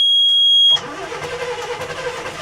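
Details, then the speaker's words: Volvo Penta TAMD 71B marine diesel left 10 years in a partially sunk boat, running dry, oil pressure monitored: a warning beep, then the starter turns it over at a brisk, even pace with no drag; normal cranking. "All right. So, that cranks actually really, really well. So, I think what we need to do now is crank it a bit longer and monitor the oil pressure, don't we?"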